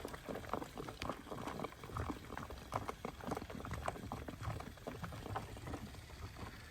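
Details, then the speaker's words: 1967 Ford Mustang 289 V8 revived after 22 years parked, warming up: irregular bubbling and gushing of hot coolant reaching the radiator; owner suspects thermostat stuck partly open; unconfirmed. "the hot water has finally made its way to the radiator and I think what's happening is is that thermostat is stuck maybe in between because it is Gush ing out"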